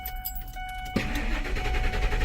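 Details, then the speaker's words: 2002 Ford F-150 after an engine computer (PCM) swap that won't accept programming: a chime, then the starter churns in a steady rough rhythm without ever catching; crank no start, suspected to be linked to the failed PCM programming. "That's why something wrong with it. It doesn't want to start also."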